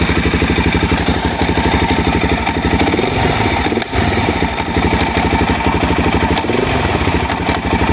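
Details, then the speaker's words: Suzuki DRZ400 with rebuilt top end: nasty knocking, thunking clunk from bottom of engine, under load and off load, worsening, not fixed by higher-octane fuel; single-cylinder thumps with hard metallic knock; found loose stator plate bolts. "i heard a really nasty knocking thunking sound coming from the bottom of the engine it happened under load not under load at first i thought it was pre"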